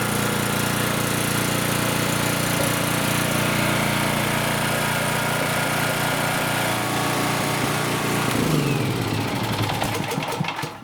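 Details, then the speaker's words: Champion generator that had no compression and wouldn't start, after valve adjustment restored compression: small single-cylinder engine drones steadily and evenly for about eight seconds, then winds down smoothly. Normal running. "So as you saw, guys, that was quite an easy fix. So oftentimes, guys, all that generators need to run again is to have the valves adjusted like I showed you."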